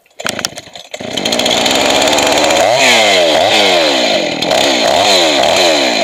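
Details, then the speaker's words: Two-stroke chainsaw after carburetor rebuild, high-speed mixture adjustment: saw revs too high and lean, then wavers and sags as it is richened, set slightly rich since a lean saw leans out more in use. "And you want it to be a little bit on the thick side when you're done. If you're too lean, it's going to lean out more after you start using the saw."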